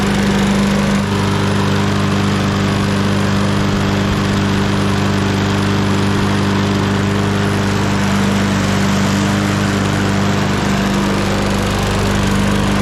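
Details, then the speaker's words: 2021 lawn mower, first pull after repair: steady even single-cylinder putter with no misses, knocks or surges, some oil in the muffler burning off; running normally. "we'll make sure that starts right back up but uh that was first pull you it seems like we had some oil in the muffler but that's all burning off now"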